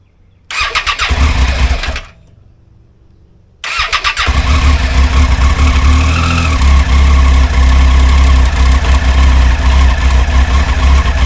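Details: Triumph motorcycle (high mileage) started cold, no engine warning lights: brief crank, pause, then deep uneven stumbling running that persists until warmed 15 to 20 minutes; rough running when cold, cause not yet found.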